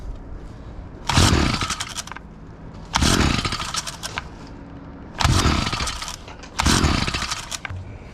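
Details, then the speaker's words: Stihl FS38 line trimmer, unrun for two years, fresh fuel, choke on, first start after reassembly: four short rasping pulls that fade without catching; cranks but won't run, spark to be checked next. "we're not having much luck here so I might have to check the spark"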